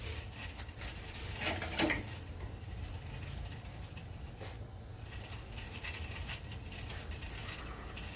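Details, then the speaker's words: Pickup truck wheel turning: a light metallic rasp repeats with each rotation. It was suspected to be a wheel bearing, but a loose brake pad retaining clip was scraping the disc. "me doy cuenta que uno de los seguros que van en las pastillas del freno pues este pues estaba suelto ese era el problema de esta camioneta"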